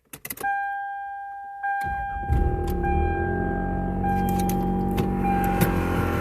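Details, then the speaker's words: 1993 Toyota Camry: a steady high-pitched whine starts with cranking and continues over the idle without changing pitch. The owner hopes it is the water pump, but this is not confirmed; startup whine. "okay so this is this is the noise it makes when ever we started up"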